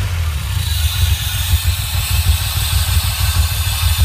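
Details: DeLorean with loss of power: petrol engine runs with a heavy, uneven low rumble and a faint metallic rasp above it, a metallic grinding noise.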